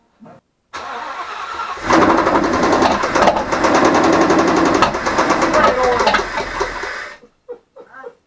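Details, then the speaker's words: 2016 Ford Mustang GT 5.0 Coyote V8, suspected rod knock, run with valve covers off: cranks and fires, then runs with a steady rhythmic tick over the idle; tick doesn't seem to come from the top end, source undetermined. "but I can tell you that that ticking doesn't even sound like it's coming from the top"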